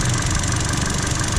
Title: Intermittent misfire picked up by the GTC505 without leaving my bay - Excessive spark plug gap